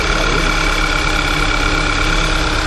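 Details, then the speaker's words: VW Tiguan idling, also heard in Drive: constant faint tapping, oscillating knock and thin whirr from the front that sounds internal but is not, and grows when pulling away. "Ele fica batendo, tá? Fica oscilando. Esse barulho no motor, tá?"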